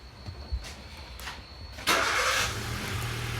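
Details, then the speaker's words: 2011 Hyundai i10 1.2 with P0011/P0014 codes and earlier low oil, engine running during a scan-tool CVVT intake actuation test: the idle note jumps and roughens, then settles into a steadier low hum; the intake cam phaser responds, so it works. "so we'll start that now activating you hear the engine start to there we go so in our mind that is activating so it's working"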